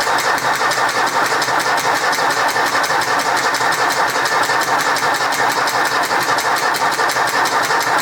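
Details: 1964 Ford 4000 Rowcrop diesel tractor, first run after restoration and bleeding the injection system, with exhaust leaks: fast, steady diesel chatter with a sharp popping beat at idle; owner suspects an air pocket, it did this before and eventually stopped.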